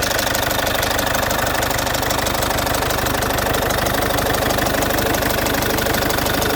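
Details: Citroen C5 2.0 HDi 100 kW diesel idling: loud with a steady fast tick about three a second, owner suspects around the injectors; injectors repaired plus new piston rings and valve work 15,000 km earlier; source not pinned down.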